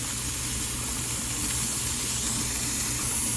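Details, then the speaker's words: Pressure canner with 6 raw-pack jars of boneless chicken thighs, timer running, burner just backed down a touch: continuous airy steam hiss with low background rumble, regulator weight venting normally, which should cycle every 10–15 seconds. "So you want that to cycle every 10 or 15 seconds or so."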